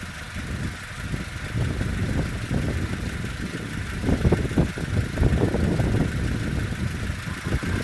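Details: Peugeot 307 after flywheel, engine mount and alternator belt work, camshaft position fault code read by OBD scanner: idle hunts irregularly, surging and dipping over several seconds; erratic high idle, cause unconfirmed.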